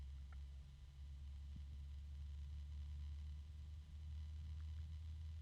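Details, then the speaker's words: Cheap LED PC case fan; quiet constant low-pitched drone with a rubbing undertone from dry bearings, which later quiets as oil distributes and varies with fan orientation. "all right let's wow there's a constant rubbing noise from the bearings quite the low pitch t on"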